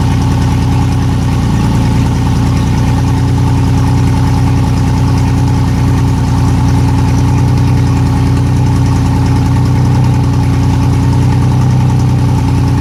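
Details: Yamaha outboard on an aluminum boat that sat for years, started after fuel was poured into the fuel-water separator because hand-priming wouldn't move gas; low, smooth, even idle with steady hum, no knocks or misses: a quiet, healthy idle.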